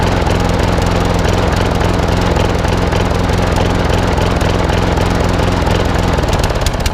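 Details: Old Masport lawnmower with a Briggs and Stratton single-cylinder engine, after a full service: steady chug with an uneven beat and the odd dropped stroke, a slight miss; owner suspects the carburettor needs cleaning again, possibly the coil too.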